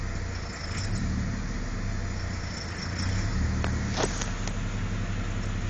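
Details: V6 Camaro idling, surging and dipping by itself, with sharp taps when the throttle is blipped at two points; engine knock when revving.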